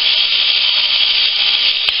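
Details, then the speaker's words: Philips cordless shaver after modification, with the charging system removed to change the DC supply: a high, even, fast buzz with constant pitch and no rattle. Normal motor running. "sounds much better than it did this is the rpms now that sounds normal yeah"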